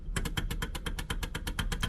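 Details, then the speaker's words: Electric power steering: sharp metallic clicks, four or five a second, as the wheel is rocked with the car off; free play inside the electric power assist unit, motor clicking through it; also pulls when running. "when i have it running it clicks when i turn direction and it kind of pulls when it clicks it's because there's free play in there and that electric motor is going through that free play and clicking on the other side"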